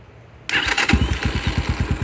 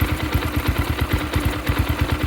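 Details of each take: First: 2022 X-Pro Templar 250cc, 5-speed, with a newly installed Nibbi PE30mm carburettor: starts right away, which it didn't before, and settles into an even idle of about nine beats a second; sounds slightly lean, air screw being adjusted. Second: 2022 X-Pro Templar 250cc single-cylinder with new Nibbi PE30mm carburetor, warming up: idle thumping about nine beats a second, slightly uneven and hunting; sounds a touch lean, air screw then adjusted richer.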